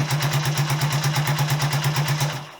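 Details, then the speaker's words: Honda CB125S at idle on its old exhaust, stuffed with glass fibre insulation: quick regular pulses with a hollow rattle from loose internal baffles, which clunk when riding and get louder as it gets hotter. "Hear the baffles are loose, and when you're riding you can hear that clunking, and as it gets hotter it gets louder."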